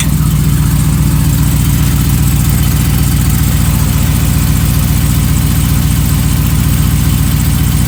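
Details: 2015 Ram 5.7L Hemi with long-tube headers, almost 18k miles, idling: a steady, even tapping about three to four a second over a deep rumble. Started recently, quieter once warm; owner suspects knock or piston slap, unconfirmed.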